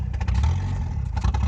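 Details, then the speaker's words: Older mechanically injected diesel truck on straight sunflower oil, after the first minute of warm-up: low, lumpy idle surging on its own with bursts of clatter, misfiring and hunting with foot off the pedal. "now you're starting to see and hear it conking as you can see it's not very happy"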